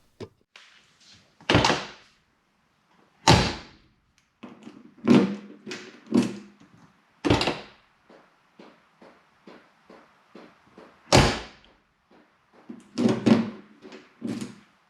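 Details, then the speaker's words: 1988 Porsche 944 factory alarm, tested after new relay, repaired switch and bypass jumpers removed: light relay clicks from control module between door thunks, but horn never sounds despite control unit receiving power. "well after activating and triggering the alarm as you can probably hear there's some relay clicking noises coming from the control module but the horn isn't sounding"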